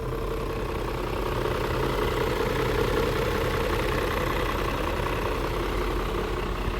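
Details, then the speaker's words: 2000 BMW E39 M5 at idle after startup, no check engine light: low uneven chugging, pulses a bit under three a second, with light rattle; owner attributes rattle to typical VANOS startup rattle, rough idle cause unclear. "It's a little rattly, but it's a 2000, so it does have the startup Vanos rattle. It's chugging quite a bit."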